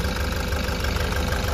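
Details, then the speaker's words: Nissan Urvan Estate ZD30 E25 diesel: rough idle with uneven, lumpy thumping that keeps stumbling; misfire, smoky with diesel-smelling smoke, shakes at light throttle, no check engine light or fault codes. "Palyado. Palyado. Oo. Ito ang issue niya is mausok at saka nangangatal ng konti."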